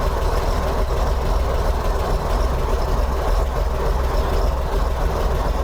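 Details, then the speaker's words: 1964 Corvair Monza air-cooled six after tune-up, timing set to about 10–11 degrees before top center with vacuum advance pulled: deep, steady low rumble, even beat, no misses, much more stable; normal idle. "i was able to adjust it back to about 10 or 11 and it's a lot more stable now"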